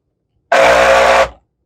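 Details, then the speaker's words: Shark NV651 vacuum with no brush roll, its brush roll motor powered directly from the wall through jumper clips: short, harsh buzzing drone under a mid-pitched hum for under a second; motor fires but sounds atrocious, possibly a loose PCB wire. "That sounds absolutely atrocious. We'll try that one more time. Okay. So your motor is firing, man. It sounds horrible."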